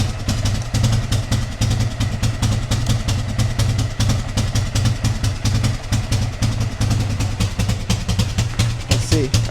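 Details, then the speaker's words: Old 4x4 ATV (engine "sounds bad") idling rough with an uneven, lumpy idle, pulsing low thump and unsteady beat; smoking black, owner suspects it is running rich and plans to adjust the idle air-fuel mixture screw. "I don't know if y'all are able to see it smoking black. Makes me think it's running rich. I wonder if we can adjust the idle air fuel mixture screw."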